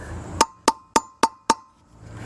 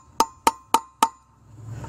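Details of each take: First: Boat trailer hub, installing new bearing race by tapping evenly around its perimeter: five sharp evenly spaced hammer taps, about four a second, slightly hollow ring; race not yet seated, still a gap to the hub ridge. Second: Boat trailer hub bearing replacement, final hammer taps on the race: four crisp evenly spaced taps, clean metallic ring, no dull rattle; sounded better, no gap visible, race fully seated.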